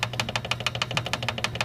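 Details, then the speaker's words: Guitar with a high 13th fret causing buzz; a small straightedge rocks on the raised fret, giving crisp regular clicking about six times a second, before leveling and crowning. "so you could easily hear it buzzing but you can also with a little bitty straightedge we can put it on there if you can see that it's actually the 13th fret here it's rocking"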